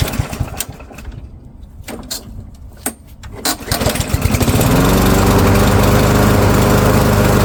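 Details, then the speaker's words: Yard Machines by MTD self-propelled mower, PowerMore 139cc OHV engine, customer says won't start, before tune-up, choke on: a few pulls and coughs, then it catches and holds a steady even beat; complaint not verified, runs fine. ">> Okay, so customer's complaint not verified. Mower runs just fine."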